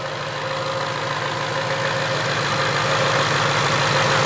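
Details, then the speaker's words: Supercharged 2019 Mustang GT with P0300 random misfire code, pulled off the road after driving, at the tailpipe: smooth steady idle with no stumbles or knocks; idling fine despite a slightly dirty tailpipe. "so apart from this tailpipe being a little dirty cars idling fine let's go inside the hood here and see if there's anything else"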